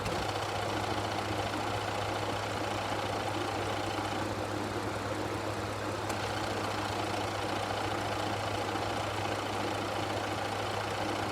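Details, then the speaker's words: Ford F150 (2015–19 era) at idle: steady drone with a rough knocking undertone from the front accessories; A/C compressor on its last leg, found while fixing low refrigerant that kept radiator fans on high. "I ended up finding out during this visit that my compressor was also on his last leg as you can hear here"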